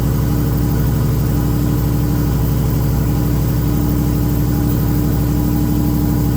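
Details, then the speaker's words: VL Commodore turbo running for the first time in about 20 years, only idling so far: steady, even idle with regular low exhaust pulse, no knocks or misses; runs cleanly. "all right guys so um the car is running but um just idling at this stage"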